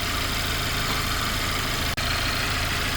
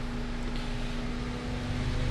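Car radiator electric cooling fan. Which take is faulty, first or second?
second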